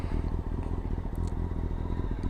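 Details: Motorcycle warmed up after about 10 minutes of riding: steady, even low thump at idle with no sputtering, misses or gasping; healthy warm idle.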